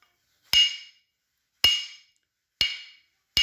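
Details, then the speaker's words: Grinding-wheel ring test, wheel hung on a pencil or wooden rod and tapped: each tap gives a clear, metal-like ring that dies away smoothly, with no dull thud or rattle. The wheel is sound and uncracked. "ये metal की है तो इसका मतलब है कि ये सही है, और अगर ये सही नहीं होगा तो इसकी आवाज़ ऐसी हो जाएगी।"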